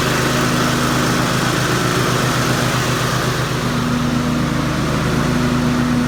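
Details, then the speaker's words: Cub Cadet RZT 50 with Kawasaki FR691V 23 hp engine, after replacing the three deck spindles/pulleys and blades that had been knocking: even, steady mower drone with blades spinning, no knocks, surging or rattles; running smoothly. "all right it appears to be running very smoothly"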